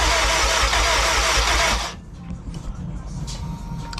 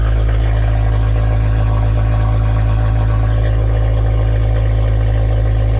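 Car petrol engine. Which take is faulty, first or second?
first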